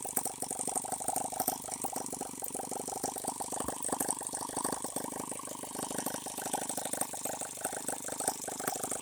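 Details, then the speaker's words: H76 Microcosm twin-cylinder model engine on the bench, water-cooled and not leaking, making plenty of heat: fast, busy chuffing with a light rattle, evenly sustained with no dropouts; normal running on both cylinders. "in here it comes we are running on two cylinders I'm running a whole lot faster if I want to see it run foreign that's a little better so far no leaks"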